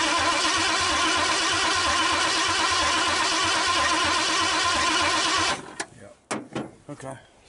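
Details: 1959 Ford Galaxie Fairlane 500 off the road since 2010, first start attempt in years: steady starter cranking for about five seconds with no firing. The owner suspects a fuel pump problem; not confirmed.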